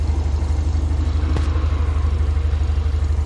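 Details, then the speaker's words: Classic carburetted car with manual choke, choke pushed fully off, engine not yet at full temperature: steady, smooth, rhythmic exhaust at idle, slightly bluish smoke, a little shakiness until warm; normal idle. "Listen to the exhaust, that is smooth, that is rhythmic, it is nice, it's happy, happy."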